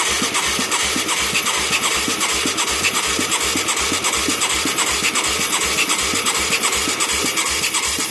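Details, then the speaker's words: Mid-1980s Yamaha YFM200 Moto 4 ATV with a new carburetor and new plug, battery possibly not charged; slow, even starter cranking at about two or three turns a second with no firing, so it cranks but won't start. "Uh-oh. Sure ain't cranking very fast."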